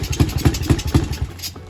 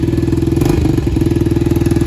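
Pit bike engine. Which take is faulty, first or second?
first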